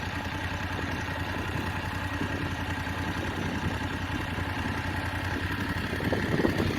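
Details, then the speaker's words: BMW F850GS, recording at about six weeks of ownership and roughly 1,500 miles: uneven idle with light fast tick about twice per second, top-end valvetrain-like clatter; owner claims it has always ticked, cause unconfirmed. "what i'm trying to do here is demonstrate that my motorcycle has always had a ticking noise"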